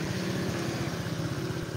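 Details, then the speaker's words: Honda Vario scooter after a spray-clean service: idle pulses, rising then dropping on its own, up and down without settling; hunting idle. "Jadi pertama kali bunyi agak meninggi nanti turun Sendiri nah ini turun lagi nih Nah ini naik lagi nih jadi naik turun naik turun naik"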